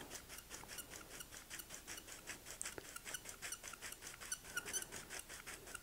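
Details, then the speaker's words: Loading exposed film onto a developing tank reel by hand: short regular rasping squeaks about five times a second; reel feels very stiff, tight reel binding on film edges. "but you can hear that squeaking as it's going and it feels very stiff to me"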